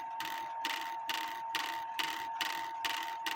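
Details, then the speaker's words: 1860 Black Forest wooden-movement Schild/Surrerwerk clock: steady run of even clicks over a faint ring; owner believes the lower wire fails to catch the locking pin, so the strike hammer keeps falling. "If you don't catch this pin, then this hammer will continue falling, because that's what that wire right here is for, to prevent this top hammer from continuing to fall."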